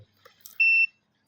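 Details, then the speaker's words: Multimeter continuity test on the power cord of a Sharp blender that does nothing when plugged in: one clean high beep about a quarter second long; continuity present, wire not broken. "โดยการอ่าใช้มัลติมิเตอร์นะครับนี่ปรับไปที่ย่านวัดเสียงนะครับ"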